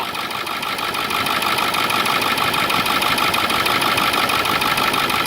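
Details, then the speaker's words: Ford 7.3 diesel Excursion idling after replacing seized pulley housing, pulleys and damaged belt: steady diesel clatter about three beats a second, no belt squeal or wobble, pretty smooth, normal idle. "pretty smooth"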